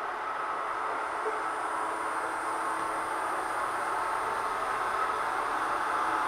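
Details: ILIFE V7s Plus robot vacuum, weeks after repairing its error 4 (main brush not turning): smooth, even airy whir with a steady motor tone and no beeps or stutter. The vacuum is running normally.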